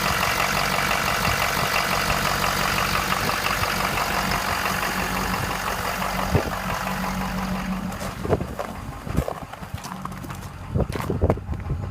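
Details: 2015 6.7 diesel: rough idle with sharp knocks roughly three per second, most noticeable late in the clip; knock inside the engine.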